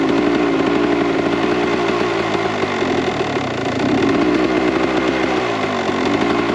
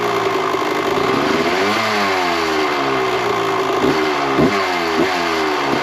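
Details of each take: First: 1998 Kawasaki KX125 two-stroke on its rebuilt OEM carb with stock jetting, believed to be 42 pilot / 160 main: busy, slightly blubbery crackle with uneven firing that never cleans up, smoky; running too rich, so jets go down to 38/158. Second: 1998 Kawasaki KX125 two-stroke after carburetor re-jetting, idle screw turned out to lower idle: crisp idle picking up cleanly on blips and dropping back steady; runs healthy, considered dialed in; normal idle and revving.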